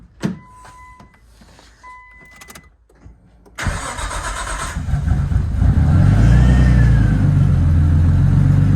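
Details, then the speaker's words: Nissan R34 Skyline first start with rebuilt engine, turbo pipe not yet fitted: clicks, cranks, catches promptly, steady idle with faint whine from power steering low on fluid; normal start and idle. "better sounds good that noise you're hearing is the power steering it doesn't have enough fluid all right just runs"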